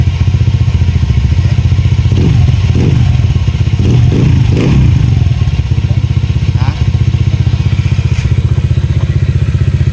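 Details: Honda Airblade with JVT exhaust after fixing a leak at a poorly welded pipe joint that caused backfire: steady, even putter at idle with a brief rev; no pops or bangs from the exhaust, running normally.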